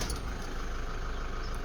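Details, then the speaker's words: Toyota Fortuner 3.0 D4D diesel, first start after timing belt replacement due to T-Belt warning: catches right away, settles into steady even idle with smooth clatter, no knocks or squeals; normal quick start and idle. "So now let's start it up. Awesome. So it's sounding very good. Sounding very good."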